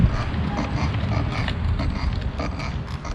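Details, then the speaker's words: Gotway MSP electric unicycle with 18x3-inch tire, several hundred miles, riding: faint creaky squeaks over a low rolling hum; cause unknown, rider says his other wheels like the Nikola squeak too. "The Nikola does this too, the squeaking sound."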